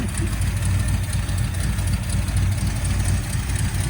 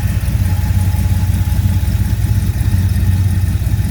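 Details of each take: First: 1979 Ford Fairmont police car revived, first start after a carburetor clean-out: a deep, steady, slow rumble, idling well below where it should sit; low idle speed. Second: 1979 Ford Fairmont two-door police car running on five gallons of fresh fuel, transmission just topped up: a low, smooth idle with an even pulse and no knocks, ticks or stumbles.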